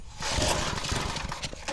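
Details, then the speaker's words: Old Lazy Boy 5 chain drive tiller after switching the throttle to fast. Uneven, rough chuffs after the recoil pull as the small engine fires a few times but fails to keep running; it nearly starts. "All right. Maybe we got to put it in fast. Let's see if it starts now. Almost. We almost there."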